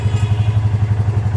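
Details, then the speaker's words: Royal Enfield Classic Reborn single after rebuild (piston, block) and timing chain setting, started on the first self-start: steady even thump around nine beats a second, no clatter or misses; healthy idle. "एक ही self में गाड़ी start हो चुकी है और इसका sound सुनिए आप"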